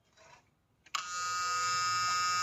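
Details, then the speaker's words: 2020 Mahindra Bolero Power Plus that cut out at speed, after fitting a second-hand fuel control unit motor: after a pause a steady high electric whir holds evenly; FCU motor primes normally, then engine starts. "এই যেটো মোটৰটো হয় এই মোটৰটো sound কৰি আছে আৰু এতিয়া গাড়ী start হ'ব"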